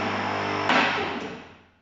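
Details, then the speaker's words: Automotech AS-235SBE twin hydraulic ram 2-post H-base car lift rising: steady pump motor hum, then one sharp metallic click as the automatic safety locks engage, which is normal; only one click should be heard. "if you heard that click, this is the automatic safety locks engaging. That is completely normal. You should be hearing only one click, but I'll explain that later in the video on how to adjust the clicks."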